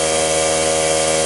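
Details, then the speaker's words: Cheap portable tire-fill air compressor with its melted power switch bypassed, building tank pressure: a steady, even buzzing hum at constant pitch with no knocking or grinding. Nothing weird; it sounds like it always sounded. "Well, I'm not hearing anything weird. Sounds like it always sounded."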